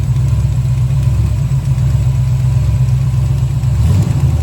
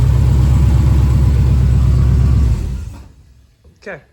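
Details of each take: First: 1970 Chevelle after a big-block swap, idling lumpy with a light fast tick from a rocker deliberately left loose on its pushrod. Owner is unsure why the engine knocks and may pull the pushrod and intake: valve tapping from a loose rocker. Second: 1970 Chevelle after a big-block swap, restarted to check the torque converter: deep, even rumble with a steady lope and no knock standing out, running well. Lifters are suspected of knocking and the intake may be pulled to inspect them.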